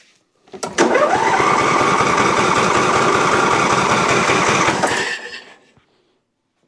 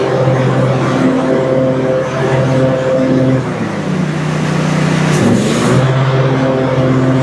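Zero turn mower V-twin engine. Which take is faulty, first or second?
first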